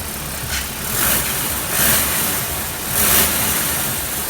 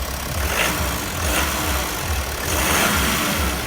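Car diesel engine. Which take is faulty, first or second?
first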